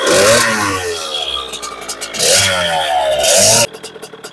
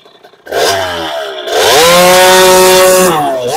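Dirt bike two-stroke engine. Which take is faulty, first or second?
first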